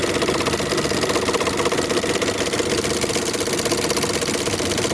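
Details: Chevrolet Onix 1.4 or 1.0 engine at idle: fast, even light ticking about three per second over thin idle hum, tapping in top end; described as a common, easy-to-fix engine noise defect.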